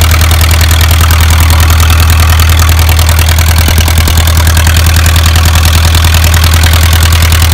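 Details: Isuzu 4BA1 85 hp diesel driving a 5-inch single-impeller pump irrigating a durian orchard about 800 m uphill. A loud, deep, steady idle rumble with no misses or rattles: a healthy normal idle.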